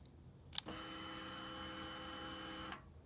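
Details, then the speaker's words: Harley-Davidson XG750 Street Rod, fuel-injected, ignition switched on with kill switch in run: a click, then a steady high whir for about two seconds that stops cleanly. Normal fuel pump priming. "that sound that you just heard is a fuel pump priming"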